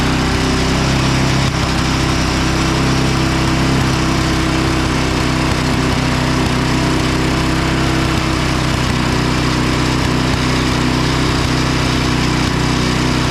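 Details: Craftsman 5hp Tecumseh 24" snow blower after oil change and ultrasonic carburetor cleaning: steady, even single-cylinder putter with no misses or surging; running smoothly after repair.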